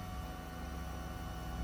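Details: 1992-1995 Honda Civic after fuel pump replacement, key turned to on with the battery reconnected: steady low electric whir with a faint hum for about two seconds, then cuts off, with no leaks; normal fuel pump prime.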